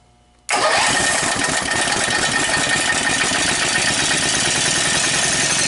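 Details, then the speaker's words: Warmed-up 18 hp Briggs & Stratton opposed twin with dual carburetors and dual exhaust, fitted to a cart, replacing a 10 hp engine: catches instantly and settles into a steady, even idle without stumbling; normal start and idle. "well I can tell you one thing right off the bat this engine starts a whole lot better than the 10 horsepower did"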